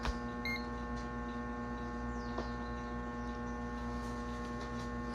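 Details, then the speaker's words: Restored 1937 RCA Victor 85T1 tube radio powered up via variac: steady low hum with a ladder of even tones through the speaker; tube voltages correct, source suspected in the preamplifier or audio output stage, not yet confirmed. Audio hum. "nós temos um problema no áudio esse problema Esse ruído que tá sendo gerado pode ser um problema relacionado ao pré-amplificador ou pode ser relacionado à saída de áudio"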